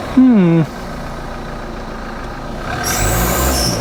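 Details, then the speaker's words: Engine warming up after oil-filled intercooler, smoking more when revved: brief falling squeal on the rev, then hissy leak rising over the engine, called a boost leak; possibly an exhaust-side leak, unconfirmed. "When you rev it, it smokes more, and we have got a boost leak, you can hear it squeak."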